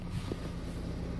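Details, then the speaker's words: Kia K9 idling, recorded at the engine bay: steady low droning hum added over the idle once the air conditioning is switched on, stopping when A/C is off; owner unsure of cause, plans dealer check. "이게 에어컨을 키면 은 소리가 발생 하더라구요"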